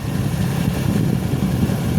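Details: Green Turbo kei car engine idling steadily and evenly with no misfire or stumble after battery connectors were cleaned, a new battery cable fitted and ground faults fixed; a chicken-bone fragment was pulled from the intake manifold. Healthy idle.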